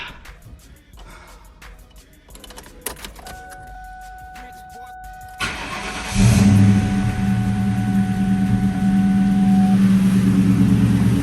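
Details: New Edge SN95 Mustang before an 800-mile trip, restarted in freezing weather after maintenance with mass airflow sensor reconnected: short crank, catches and settles into smooth, even low idle with steady firing, no stumble; healthy.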